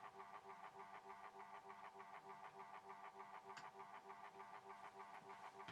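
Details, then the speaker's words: Horstmann VA Mk9 SRS2 rate changer time switch, 240V 50Hz synchronous motor, just plugged in: steady whirr with quick even ticking about three per second, because the 15-day spring reserve was unwound and is winding; normal. "Now then, in amongst all that whirring sound, you can hear a bit of a ticking going on. Okay, that is because the spring reserve in it was unwound when I plugged it in."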